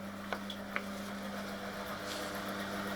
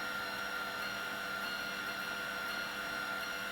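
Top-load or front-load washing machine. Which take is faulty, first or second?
second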